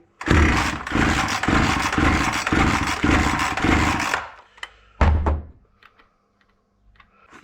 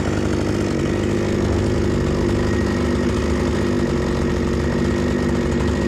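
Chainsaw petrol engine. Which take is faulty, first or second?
first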